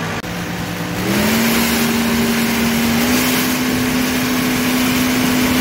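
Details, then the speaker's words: John Deere 4052R tractor, Tier 4 diesel with DPF, during regeneration while towing a barge wagon with about 4 yards of dirt, throttle opening up; steady diesel drone stepping up in pitch under load, no knocks or rattles; normal DPF regeneration. "All right, so if you guys want to hear what this regen sounds like, start opening up the throttle little more as opposed to when I'm just sitting there."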